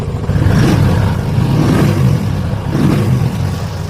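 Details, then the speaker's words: Royal Enfield Classic after fuel pump motor and filter replacement (rust cleaned from tank): deep smooth exhaust rising and falling through three clean throttle blips, no stumbling or jerking; revs perfectly, idle rpm to be lowered. "एकदम perfect हो गया।"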